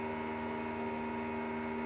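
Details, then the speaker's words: Motorhome (converted bus) heating/hot-water system: induction brushless circulation pump, supposed to be quiet, makes a constant even buzz and hum with no pitch change; cause unclear. "And in theory it shouldn’t buzz; it’s induction brushless, supposed to work quietly"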